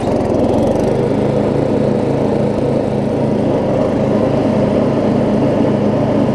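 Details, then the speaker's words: Murray rear-engine riding mower with new blade, driving with blade engaged; steady even drone, no surging, knock or grinding; runs good after earlier exhaust valve grind, though owner says he could have ground it more. "this thing still runs good you can tell it's still i probably could have grind ground down the exhaust valve a little bit more than i did in the original video but it's still plenty good"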